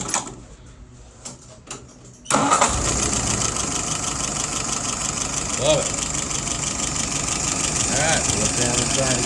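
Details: Restored WO 636SA carburettor tested on a 48 engine: a few quiet clicks, then it starts and settles into a steady, even idle with no stumble, leaks or excess fuel; running fine.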